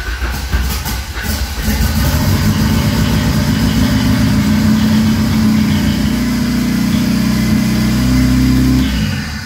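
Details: First start of a Ford Escort with turbo, newly fitted R1000 injection, wideband and modified maps: engine catches and settles into a fairly even run with a few throttle blips, no knocks or misfires; normal running.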